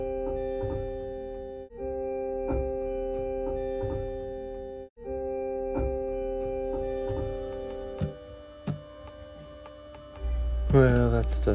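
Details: 1979 Roland RS-09 string synth after replacing a component: held notes still broken by sharp crackles and pops. The HA1457W chip is suspected, possibly from a drop.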